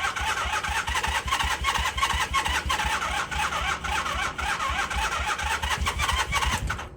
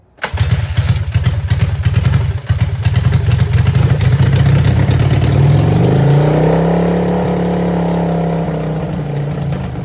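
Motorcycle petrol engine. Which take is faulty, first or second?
first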